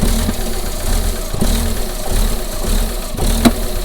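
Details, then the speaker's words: Rough-running, shaking engine with sensor errors after intake pressure sensor replacement: steady low idle broken by loud irregular bangs about every two seconds; source unknown. "what is that banging noise so that's opening and closing so what do you think that banging noises so tell where that banging noise is coming from"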